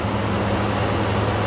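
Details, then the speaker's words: 1979 Chevy K10, small block 350 V8, abandoned 20 years, restarted after extra fuel (carb may be leaking a little): an even low rumble with no valve train noise, knocking or vibration. "this small block 350 sounds amazing really smooth no valve train noise no knocking really no vibration at"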